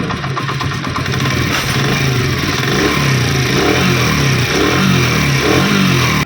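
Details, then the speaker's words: Honda CD 70 motorcycle engine after a complete refit, idling and revved in smooth swells with no knocking or rattling; the earlier engine noise is gone and it sounds healthy. "अब दोस्तों मुकम्मल फिटिंग करने के बाद इंजन की आवाज़ सुने। पहले भी आपने आवाज़ सुनी थी, अब भी आप सुने।"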